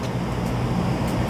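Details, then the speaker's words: Whirlpool gas furnace, after service for a loud noise complaint: smooth, steady rush of air with a low, even hum and no scraping or rattling; the blower now runs normally. "okay there's your fan that sounds a lot better now"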